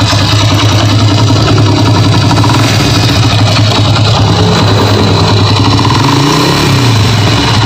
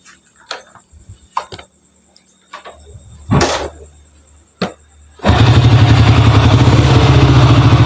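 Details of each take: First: Honda Grand motorcycle (Indonesian), engine started for diagnosis: steady single-cylinder idle with a coarse, uneven rattle underneath, roughness from inside the engine bottom end; cause unconfirmed, customer brought replacement internal parts. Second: Honda Grand motorcycle brought in for a rough internal engine noise, connecting rod kit on hand; after clicks and handling it fires and settles into an even, steady thump of about three or four beats a second, running smooth.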